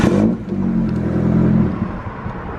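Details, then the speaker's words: Mitsubishi Evo just started after fitting intercooler piping and blow-off valve: lumpy, uneven wavering drone with engine light showing intake air temperature and mass airflow codes; rough running from mass airflow sensor only half plugged in. "Yeah, it's not liking that whatsoever. Engine management light. Okay, so I'm looking, it's like intake air temperature and mass volume. So the mass sensor weren't plugged in correctly."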